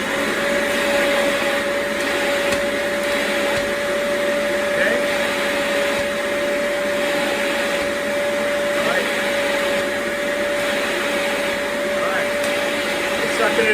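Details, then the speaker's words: Turbo Clean Dual Pro Pet shampooer on a suction test, sharing suction with the floor head so it reads weaker than a motor test: a steady whooshing roar with an even mid-pitched whine and no surging; normal suction. "all right now keep in mind that I'm sharing the suction this little section here I'm sharing it with going towards the floor so it's not going to be this little test it's not going to be as strong as when I test the motor"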